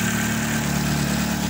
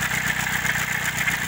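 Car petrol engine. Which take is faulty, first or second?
second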